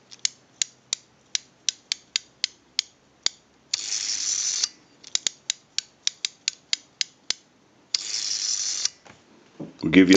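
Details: AE candlestick telephone rotary dial with contacts not yet fitted: crisp, evenly spaced clicks ticking quickly as the dial spins back. The ratchet works properly; no ratchet sound would mean a missing or misinstalled key or a bad spring.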